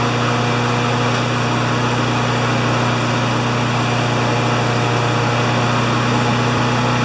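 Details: Honda GCV160 walk-behind mower after the governor arm was bent to adjust it (previously ran about 6,000 or 2,000 rpm): a constant, even drone at governed full speed of about 3,589–3,612 rpm by spark-counting tach, no surging. The uploader thinks max should be 3,100–3,200.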